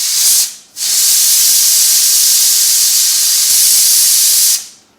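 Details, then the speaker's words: Pressure cooker of tomato sauce, off the heat, steam valve released manually: a loud steady hiss that breaks briefly, runs about four seconds and stops cleanly, a normal controlled pressure release. "you just let that steam come out it's nice and quiet now"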